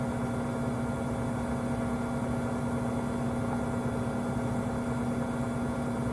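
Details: 5-month-old Samsung 2023 front-load washer WW25B6900AW/A2: constant, loud, steady mid-pitch buzz of about 70 dB since the first month, louder when there is no water to drain, quieter hum while draining; source unclear.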